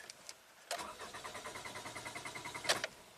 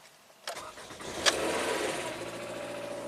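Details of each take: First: 2011 Toyota Camry with a replacement ECM and ignition coil A–D primary circuit codes plus P2016: even cranking at about six beats a second for two seconds, never firing; cause not confirmed. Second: 2011 Toyota Camry that keeps blowing its ECM 5V reference, with a spare eBay ECM fitted, a jumper in place and the battery on a charger: short crank, then it catches cleanly and settles into a steady idle; starts normally.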